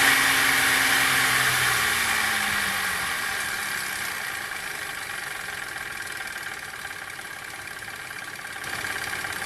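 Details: Chevrolet Captiva 3.2, warm engine at idle, runs smoothly with no fault codes: fairly regular knock about four a second, seeming to come from the timing chain side; knock disappeared after restart. Cause not confirmed.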